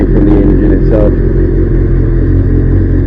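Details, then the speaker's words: Kawasaki GPZ750 that sat five years and ran on two or three cylinders with carbon-fouled plugs, after fitting new spark plugs: a steady, even idle with a smooth low drone and no knocking, all four cylinders firing. "Oh yeah, that sounds nice and smooth."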